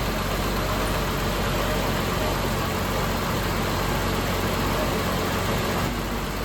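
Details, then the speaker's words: 1990 BMW E34 M5 inline-six after new spark plugs and leads fixed a low-rpm misfire: smooth, even idle without stumble or shake, faint whine from an accessory belt or similar on top; normal idle. "idle sounds good something is whining an accessory belt or something one thing at a time that's good"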